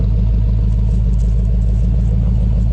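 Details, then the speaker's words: 1975 GMC Gentleman Jim C10 sat 18 years, warm idle after running 10 to 15 minutes: deep even V8 idle, steady low rumble, no skips or misses, no tailpipe smoke; running smoothly on all cylinders. "I don't see any smoke coming out tail pipes and it doesn't seem to have any misses or anything it sounds pretty"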